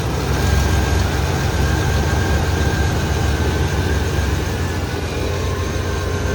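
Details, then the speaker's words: 1994 Chevrolet S10 Blazer 4.3 V6, first start and drive after intake rebuild (upper intake torqued to 80 in-lb, timing set): deep, smooth idle with even low rumble, steady speed, no misfire or ticking; healthy engine. "Alright, maiden voyage since rebuild. Thank you. Can't believe I got the timing right on first try. Sounds amazing."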